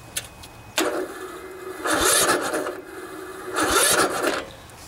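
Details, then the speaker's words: Poulan riding mower, 16 hp Briggs & Stratton single-cylinder OHV engine, ~40°F, with a new charged battery. Starter drags in labored bursts, never catches; too much compression from valves out of adjustment, else cam compression release may have failed. "the valves need to be adjusted if the valves aren't opening and closing exactly when they should you're getting too much compression built up inside of there"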